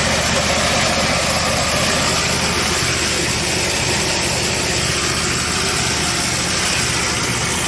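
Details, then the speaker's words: Husqvarna YTH22V46 lawn tractor that made a noise and stopped moving when its drive belt came off a pulley; with the belt refitted, it idles under a harsh rattling clatter from the drive side. "i put the belt back on the pulley and it's still making all kinds of rackets"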